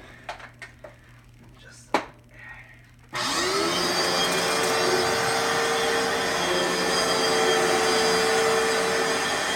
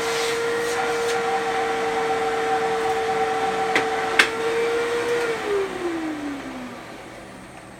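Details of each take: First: Fantom Fury vacuum cleaner with bad motor bearings and dust in the fans: steady high hum under a rough raspy hiss, much harsher than a good motor, though it still runs; worn motor bearings. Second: that is how a Fanjul Fury should sound if it has a good motor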